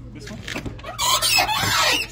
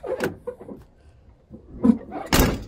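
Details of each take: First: Chevy truck door before its hinges are lubricated with PB Blaster: a creaky, wavering squeal rises and falls for about a second as the door swings, from a dry, squeaking hinge. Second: Chevy truck door after its hinges were lubricated with PB Blaster: it opens and closes with soft clunks and a latch click, with no squeak or creak, so the hinges move freely.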